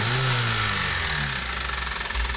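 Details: 2012 Toyota Avanza (older-engine model, not the all-new) with a harsh, rattly idle and a quick rhythmic diesel-like ticking knock. The knock is suspected to come from the side of the engine, listened to from below; the source is unconfirmed.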